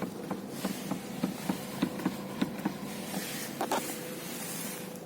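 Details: Steering knock on a Renault Megane 3 when turning the wheel at standstill: irregular dull knocks, roughly one to two a second, tapping through the column; cause unclear.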